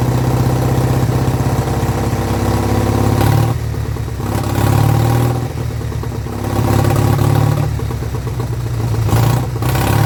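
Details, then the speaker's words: Vintage Douglas engine, first run after 40 years under a hedge, carb jets recleaned, mixture screw adjusted, no silencer fitted: fires on its own with a steady beat, speed swelling and easing slightly, no knock or clatter; normal running. "there we go the Douglas does live and don't actually sound nice oh even without a silencer on she sounds really good"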